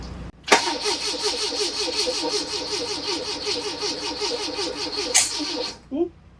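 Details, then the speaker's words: 1981 Fiat X1/9 converted from EFI to dual Weber carburetors, on a jump pack with starting fluid sprayed in: steady starter churning with one sharp backfire, no start. Timing set to spec, fuel pump running; crank no-start with backfire. "backfire. [laughter] Nothing yet. did get one backfire. So, I think the timing is good on it."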